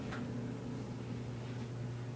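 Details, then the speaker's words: Electric clothes dryer after replacing drive belt and drum rollers: smooth, even low hum with steady tone, no squeak, thump or scrape; drum turns quietly and dryer runs normally. "beautifully. Smooth, nice."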